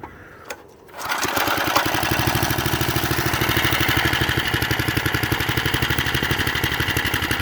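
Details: Vintage McLane reel mower and edger with Briggs & Stratton engine, revived after sitting 15 years with very dirty old oil, fires up and settles into a quick, even beat with reel clatter on top; runs steadily, sounds healthy.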